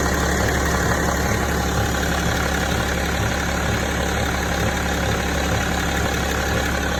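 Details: 2006 BMW E65 3.0 diesel at idle: dull, loosely regular knock pulsing through the low rumble; knock of unclear source.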